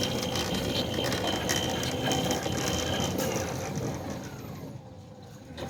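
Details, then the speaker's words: Newly installed Centurion D5 Evo Smart sliding gate motor closing its steel gate on the downhill cycle: an even hum with fine regular gear ticking, no strain or shudder, easing off as the gate closes; the drive runs normally. "So the closing cycle is basically downhill. And the opening cycle is uphill, but you can hear it's not laboring at all."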